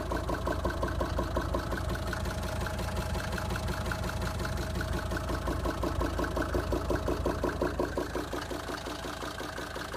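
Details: Mercedes 190D 2.5 Turbo diesel idling after chain tensioner replacement: steady knock about three per second on the engine rhythm, heard from the air intake on the right wing; source unidentified.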